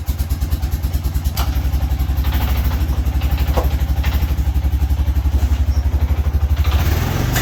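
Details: Honda Foreman ATV single-cylinder idling after oil change and fan temperature sensor replacement for overheating: steady even low thump about four beats a second, no knocks or rattles; runs healthy.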